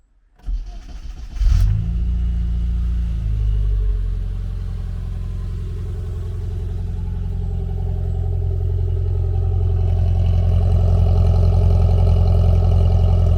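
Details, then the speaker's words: Classic Mini Cooper with new full exhaust and charging fault: cranks and catches, then lumpy, uneven spluttering run that won't rev, suspected air leak; traced to a stuck throttle idle switch. "it's a bit it's a bit splattery when you try and rev it sounds like it's got an air leak or something"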